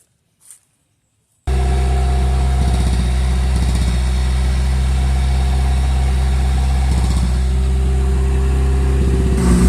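Engine catches after a brief silence and settles into a steady, even idle with a firm low rumble and clean blips; healthy.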